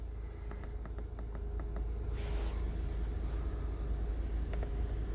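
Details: 2013 Honda Odyssey V6, which a shop had said had low compression, idling with the scan tool counting no misfires (cylinder three had been counting misfires earlier): a steady, smooth low rumble with no stumbles.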